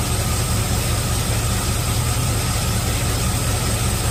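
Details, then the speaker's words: Chevy after a remote solenoid fix for a starter that wouldn't stop cranking, now on a bigger battery with heavier-gauge wire: steady, even low rumble with no cranking or starter whir left behind; engine running smoothly. "when I connected them or replace them with the the good gauge wire yeah it fires up real good"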